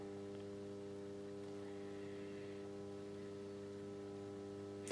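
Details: Solis grid-tie solar inverter on bench repair, fed a smoothed rectified supply with a large capacitor, delivering about 47 W: steady hum with clean fixed tones, no pitch wander or buzzing; running stable.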